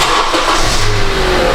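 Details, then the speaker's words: 2015 Honda CR-V after welding on replacement exhaust flanges at the catalytic converter: smooth, even engine rumble with no ticking or puffing at the joints, exhaust flowing only out the tailpipe. Sealed exhaust, no leak. "ah weak sounds weak sounds like he's all sealed up you just hear it blowing out of the pp hole back there"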